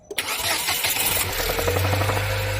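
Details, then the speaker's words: Chery Tiggo 8, 35,000 km, newly replaced engine after oil-leak failure, cold start only (not when warm): brief light ka-la clatter over idle after catching; suspected timing chain (left side) or valves, unconfirmed. "说的是启动之后听到那个咔啦咔啦咔，有这么个声音，是不是啊？"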